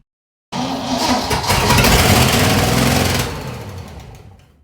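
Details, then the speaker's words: 1959 Corvette after 30+ years sitting: catches and roars about two seconds on fuel that only fills the floats, then dies once burned; fuel starvation, carburetor needs rebuild or replacement. Rotted mufflers blew out animal nesting material and soot. "we have a fuel issue so meaning you have to have i either rebuild this carburetor or get something else because it's just serving strictly as to throw some fuel in just filling up the floats a little bit and then that's all it's just dragging that in and once it's done burning the fuel that's when it's kicking off"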